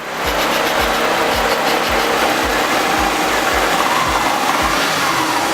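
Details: Subaru Impreza wagon EJ25 after head gasket and timing reassembly, first start: steady even idle with regular low pulses about twice a second, no knocks or ticks; healthy, normal idle.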